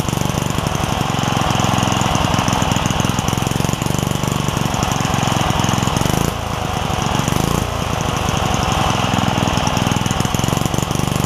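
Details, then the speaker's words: Craftsman 3hp Tecumseh single-cylinder edger with retrofitted snowblower carburetor: engine putters at a steady low idle and won't pick up speed, due to a governor spring and linkage issue rather than the carburetor. "it's running on idle uh not because of the carburetor but because of a governor uh spring and linkage issue so let me sort that out get it running right"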